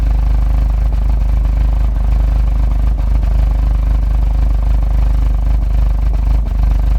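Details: Heavy, lumpy idle with uneven low throb and occasional stumble, like a misfire, showing code P3008; began after a full service (oil, DSG oil, water pump, pulleys, belt), earlier codes P000A and P0341, camshaft sensor replaced.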